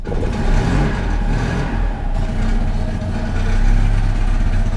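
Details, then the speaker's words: Citroen 2CV twin after carburetor cleaning for cutting out and hard restarting following running the fuel tank low: slow, lumpy low idle with loping but even firing; test drive fine, idle very low and adjusted up slightly, possible gummed-up petrol remaining. "little test drive and it's working perfect. It got a very, very low idle at the moment, and I have adjusted it a bit up,"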